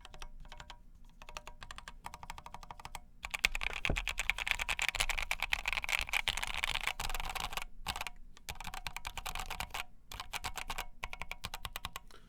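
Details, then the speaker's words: KFA Corse60 keyboard, POM plate, AEBoard switches, polyfill added: quick clacking with dull, dead-sounding number-row keys; plate sits off-centre, needs pushing over or plate modding. "so number row sounds weird almost like almost dead sounding in a way these need to be shoved this way somehow"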